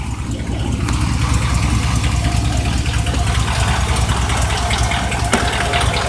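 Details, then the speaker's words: GMC Yukon 2500 at idle, heard from underneath: sharp clack repeating two to three times a second, barely audible from up top; a lower-end knock, not lifters or timing, source still being isolated. "as if you come up top you can't really hear it all that much so I'm going to just let you know based off of that we know that it's not an up top noise and it has nothing to do with lifters or timing or anything like that"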